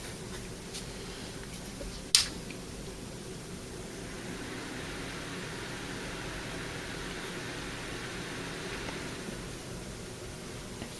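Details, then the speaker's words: Scrap-pile Dell OptiPlex desktop, very dirty, starting after reseating a loose connection; one click then smooth even fan rush, no beeps, boots to hard drive not found; normal startup. "and now it actually started right up a hard drive not found"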